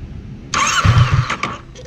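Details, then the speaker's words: Kawasaki Versys 650, warm engine, idle screw turned down too low: starter whirs under a second with a few weak, lumpy firings that never catch, then it floods. Hard hot start from idle set too low. "vou dar uma partida agora e vou manter o motor de arranque ligado na no mesmo tempo que eu acabei de dar a partida para vocês verem como ela tem dificuldade de dar partida agora"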